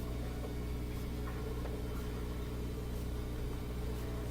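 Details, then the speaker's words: Bosch Axis washing machine that won't spin during a normal cycle, in the drain step of its built-in diagnostic test: steady low pump hum with rhythmic swishes about once a second as water drains quickly; the drain pump is working normally. "Drain seems pretty good. Seems like it's sounds like the water is moving quickly."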